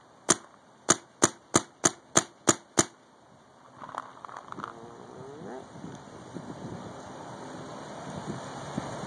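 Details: Paintball marq with regulator near 900 psi: eight sharp evenly spaced cracks about three a second, crisp and full; marker cycling normally with good air pressure.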